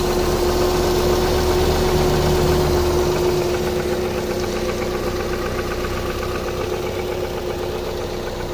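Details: 2001 Opel Vectra B, 1.8 petrol four: a steady ticking knock about four times per second over an otherwise even idle. A distinct engine knock.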